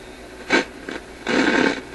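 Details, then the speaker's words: Grundig 2540 AM/FM/SW tube radio after replacing the selenium rectifier with silicon diodes, wire antenna attached: only FM hiss and crackling surges while tuning, no station locks in. AM works, FM reception still faulty. "Does the radio work? Well, there's an FM hiss. We heard that before."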